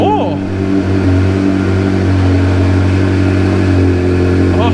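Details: Flood-damaged Ferrari, just restarted after flooding with new battery and redone wiring: strong, even engine note holding steady and picking up cleanly when revved, no knocks or misfires; running strong.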